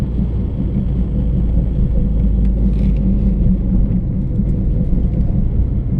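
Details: Humming noise while driving: a steady low drone under the road rumble while cruising, with no clear rhythm, from somewhere in the running gear, along with a cricket-like chirping noise.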